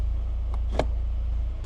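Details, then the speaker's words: Citroën XM 2.0 TCT, over 25 years old, engine running on a lift while the hydropneumatic suspension rises to its high position: a steady hum with sharp, irregular clacks on top. The hydraulic system has problems. "La partie hydraulique a bien sûr des problèmes et je pense que vous l'entendez, ça claque."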